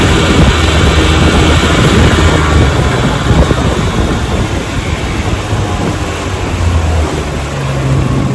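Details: 1957 Johnson 10 hp QD18 outboard after full restoration (rebuilt carburetor and magneto), boat cruising on a lake: steady low drone at even pitch under water and wind noise; normal running, zero problems.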